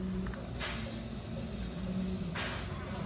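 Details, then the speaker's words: Drink cooler not cooling, system pressurized for leak test: short bursts of sharp hiss over a low hum from a leaking refrigerant pipe under the insulation, where a mark shows the pipe run; suspected rub-through leak. "really here's something I can hear it right now let's see what that's leaking at"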